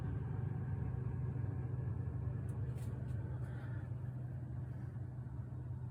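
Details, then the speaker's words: Samsung refrigerator evaporator fan after clearing ice that blades were hitting and replacing foil with metallic tape: steady even low hum with no ticking, scraping or grinding; running quietly as it should. "super quiet that's the way how it should run"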